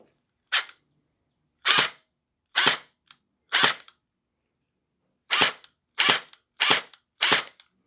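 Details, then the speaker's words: Splat-R-Ball SRB400/SRB1200 gel blaster, V3-style gearbox, after the stripped plastic gears were replaced with all-metal gears, stock spring kept, on a first test: eight crisp single shots cycling cleanly with no whine or grind; sounds different from before. "it's working. Definitely a different sound from before. Put on full auto."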